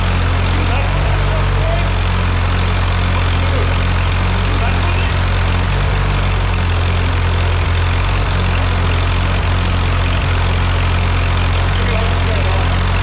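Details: Ford 8N tractor after an engine rebuild, first start, jumper pack on the battery: steady, even low rumble at smooth idle with no knocks or misses; the rebuilt engine sounds really good.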